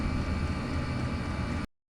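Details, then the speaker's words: Diesel heater after fitting an ultra-quiet fuel pump to cure the fuel pump ticking; soft, even roar of burner and fan with no pump ticking; running smoothly and much quieter than before. "I don't think I'd be putting putting them back in that's much better"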